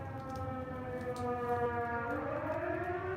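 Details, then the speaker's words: Outdoor town civil defense siren heard during a live stream, cause unknown (speaker guesses a fire): a loud, steady wailing tone that climbs in pitch partway through over a quiet background. "Yep, there goes the sirens. You guys can hear it or not? Here. You guys get to hear it. The sirens on live."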